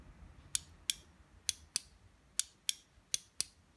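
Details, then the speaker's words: Washing-machine (washer-dryer) pressure switch, diaphragm pressed by hand: eight crisp clicks in rough pairs as first stage then second stage snap over cleanly with rising pressure; switch working normally. "so this switch operates first and then as the pressure increases more from more water in the top then this one comes into operation"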